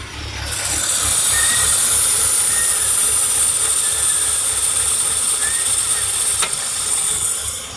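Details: 2003 BMW 325i: a loud steady hiss over a soft, unsteady idle with faint chirps. The car chugs and stalls unless the gas pedal is held; the hiss started a day earlier. Source unknown.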